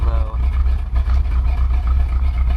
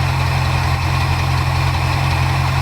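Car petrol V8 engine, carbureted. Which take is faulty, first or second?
first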